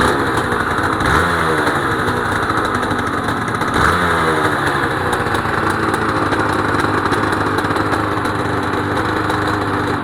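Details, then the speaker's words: Honda NSR250R-SP MC18 250cc two-stroke grey import on JHA pipes, start of a restoration project, recorded from low down near the pipes: crisp, even burble with quick throttle blips dropping cleanly back to a steady idle. Normal two-stroke idle. "Wow. Those pipes sound nice. Wow, those pipes do sound nice. I'll get down low so you can hear them."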